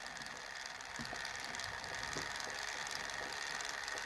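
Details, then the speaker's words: LX16A UART bus servo hardware upgrade driving a gear motor through H-bridges, settings being raised: steady gear whir with high whine, motor audibly spinning faster, smooth with no grinding or catching. "So here I'm going to turn up my settings, and you can hear already, if you can hear the motor, it's actually spinning faster."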